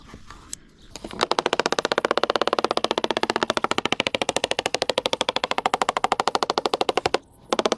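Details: Halcyon 23 fiberglass sailboat deck tapped with a screwdriver near a screw: rapid even tapping, about a dozen a second, gives flat dull thuds rather than crisp ticks; deck not soft underfoot; soft, possibly wet core suspected.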